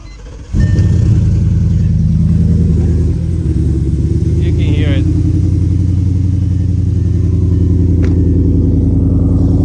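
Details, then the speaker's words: Audi EA824 4.0 TFSI after a DIY install of 310SS turbo manifolds, cold start with smoke and an oil smell, losing lots of power: fires up into a lumpy, uneven, irregularly pulsing low rumble, more rough and aggressive; rough cold idle, cause unknown. "sound. More rough, more aggressive. [Music] This is a cold start."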